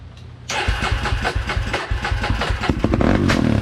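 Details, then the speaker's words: 2003 Polaris Predator single-cylinder after carburetor reinstall with new fuel line, fuel filter and spark plug, previously flooded with wet exhaust: catches after a short crank and runs in lumpy, uneven pulses that slowly smooth; rich running, float adjustment suspected. "This thing's super rich running. I don't know if it's needs a float adjustment or what just yet, but it fired, so we want to hear it actually run."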